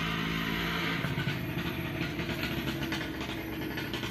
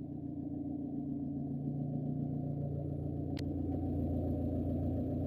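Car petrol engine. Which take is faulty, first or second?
second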